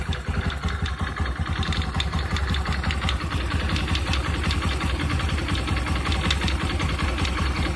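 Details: New Honda Activa 125 scooter idling with an uneven low clatter, about 160 knocks a minute, over the running note; abnormal engine noise, bearing issue suspected, not confirmed.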